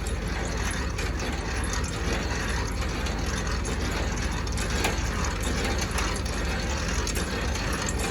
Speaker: right now it's in high grade as you can hear it makes more of a you know stronger winding noise you know